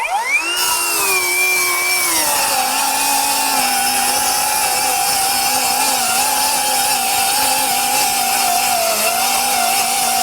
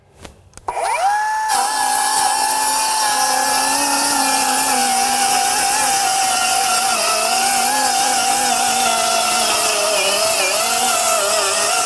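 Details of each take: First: Metabo HPT C1807DAQ4 18V MultiVolt 7-1/4" cordless circular saw, compact 4Ah 18V battery, 3,800 RPM cutting two sheets of 1/2" OSB: high whine spins up, then drops and settles lower as the blade bites; motor bogs slightly from being pushed hard. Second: Metabo HPT C1807DAQ4 18V MultiVolt 7-1/4" cordless circular saw in silent mode (2,000 RPM), 4Ah battery, cutting two sheets of 1/2" OSB: steady high whine holds pitch, dipping only slightly under load; held 2,000 RPM, a little quieter, cuts normally.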